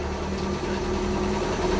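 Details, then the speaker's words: Barn-find 1962 International Scout 80 first start after decades, choke out, fresh gas and radiator topped off; steady, even low idle with smooth unbroken rhythm, no knocks or stumbles; normal idle. "guys i'm so excited right now it lives i cannot believe that lucky our 62 scout 80 actually runs"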